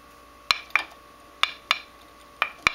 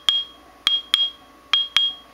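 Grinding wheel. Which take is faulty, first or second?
first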